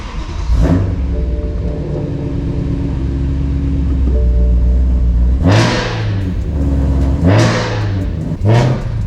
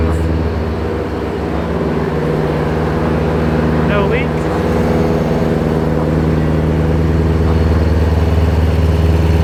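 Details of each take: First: Supercharged BMW E92 M3 on its first drive with a manual boost gauge fitted: loud engine pulls through the gears with a rising supercharger whine tracking revs, but the gauge shows around 20 of vacuum and zero boost. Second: Supercharged BMW E92 M3 just after its first start following the supercharger kit install, warming toward operating temperature: loud, steady idle with an even low burble and no misfires or rattles, supercharger barely audible. Healthy.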